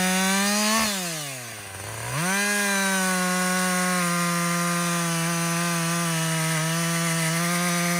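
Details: Husqvarna 562XP 60cc chainsaw, after a dealer reflash of its software for dying when hot and stumbling, bucking windfall: bogs into the cut, pulls back up cleanly, holds a steady high scream; normal under load.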